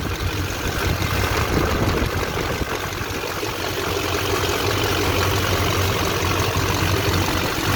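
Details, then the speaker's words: 2001 LB7 Duramax diesel idling after new belt tensioner and idler pulleys: steady even diesel clatter, smooth low rumble, no chirp or squeal; normal idle after repair. "Nice and quiet, no more squeaking."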